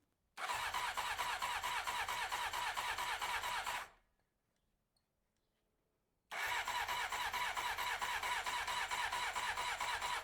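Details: 1993 Honda CBR900RR first start attempt, with choke applied and fuel on: two bursts of steady, rapid cranking that never catch, a crank-no-start; owner suspects no fuel reaching the engine.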